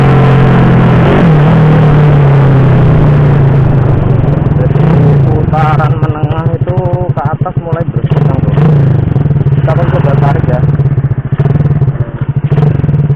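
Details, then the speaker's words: Honda Supra Fit C70 body motorcycle with carburettor changed from PE28 to PE24 during setting: clean pickup low down, but revs stumble and surge as throttle opens into mid and high range; owner suspects carb setting, ignition or engine capacity. "Bro, you can see that, for medium to high rpm, when we try to accelerate, there is a serious crash, well, there are other factors, Bro, not just the carburetor part, the ignition part could also have an effect,"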